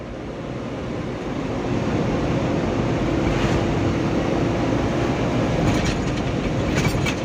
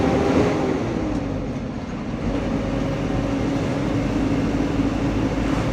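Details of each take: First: Mitsubishi Canter Euro 4 SHDX truck on a test drive: a steady, fan-like low humming drone rises with load as the throttle is pressed, yet power remains and the sound later disappears. Source undetermined. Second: Mitsubishi Fuso Canter Euro 4 SHDX truck on a test drive after nearly 3 km: steady low diesel drone under road noise at cruising pace, no droning hum ("mbengung") and no power loss; running normally.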